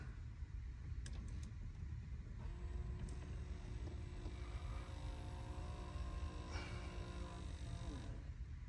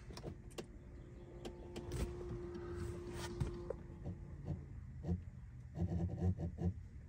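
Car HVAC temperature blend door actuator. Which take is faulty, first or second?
second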